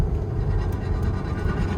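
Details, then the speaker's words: Chevrolet Tahoe, 131,000 miles, check engine light on, heard while driving. Steady, continuous rough metallic scrape under road rumble; ruled out as a wheel bearing. Worn front brakes scraping. "It sounds like it's like the metal plate or something. It don't sound like no wheel bearing. Yeah, that's most definitely the brake scraping."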